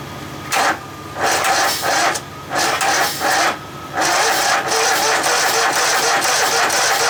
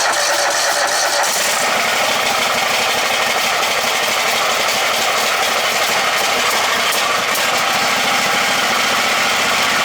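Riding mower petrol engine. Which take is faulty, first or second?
first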